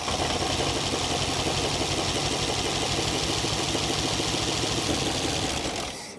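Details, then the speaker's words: 1966 Chrysler Crown Imperial big block, first run after 21 years sitting, Carter carburetor; fast steady ratcheting chatter about four a second like a freewheeling bike chain; source unclear, owner says not typical lifter clatter, AC compressor seized. "Something's making a ratcheting sound. Like a bike chain when you're freewheeling on your 10-speed."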